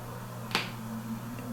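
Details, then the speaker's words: Vintage Fender Deluxe Reverb blackface tube guitar amp, stored unpowered in a basement for years, after new filter caps and new 12AT7s: random pops and crackles over a low hum with volume down; reverb ruled out, suspected noisy original 10% plate resistors. "Still got some little crunchies going on. Now I've got the volume all the way down. That noise is still there."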